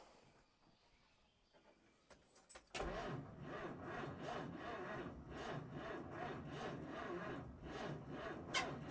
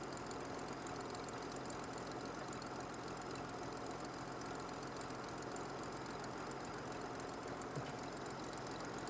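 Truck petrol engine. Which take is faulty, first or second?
first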